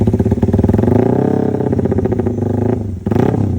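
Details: Yamaha Jupiter MX 150cc single, bored up toward 200cc with owner-supplied parts, new exhaust and new ECU, sound check before test drive: strong, even beat rising and falling cleanly with throttle, no knocks or rattles; runs healthy.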